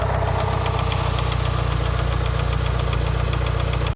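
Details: Lancer Evolution VI 4G63T after a track day, warming up at 75-80°C oil temp: steady light top-end knock about 200 per minute, loudest near cylinder one; silent cold, quieter fully warm; lash adjusters bled without improvement; rod knock or lifters suspected, unconfirmed.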